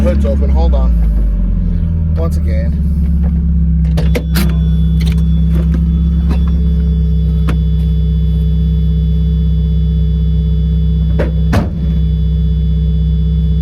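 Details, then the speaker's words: Miata drift car cruising around the neighborhood with a newly fitted muffler. The exhaust is a deep, smooth drone with no buzz, and it can be driven fairly quietly. "all right quick spin around the neighborhood oh God I can already say it is so much better"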